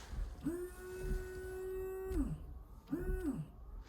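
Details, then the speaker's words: 2006 Honda Jazz rear washer pump after replacement, run from the stalk: two clean steady mid-pitched whirs, one long one short; pump motor works, but no water reaches the rear jet, likely blocked. "so I can hear the pump. So that's good news."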